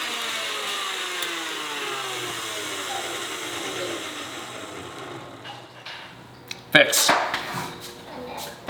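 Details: KitchenAid stand mixer after teardown, grease replacement, gear cleaning and speed selector adjustment: steady, even motor hum with smooth pitch glides as speed changes, no knocking or grinding, running normally.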